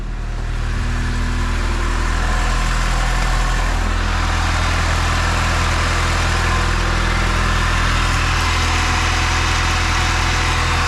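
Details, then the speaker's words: Turbo B16-swapped Honda CR-V on Hondata S300, first start after clearing a VTEC code with VTEC disabled, catch can lines not yet fitted: smooth, even low idle and clean revs, no stumbles or knocks; normal. "Oh, it revs through. It revs through."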